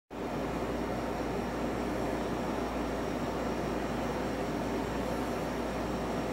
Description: They advertise 50db but mine is closer to 60db which is not by any definition "quiet". Maybe I got a bad one.